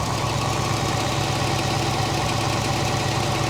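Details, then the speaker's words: Late-1990s (circa 1996) GMC/Chevy K3500 V8 after minor lightning strike, straight pipe, running on stale gas with burned fuel pump relay pin wiggled; loud idle with light quick ticking from injectors, otherwise steady and quiet, no knock. "you can hear the injectors have some knock to them from ticking but I mean in general it's not terrible"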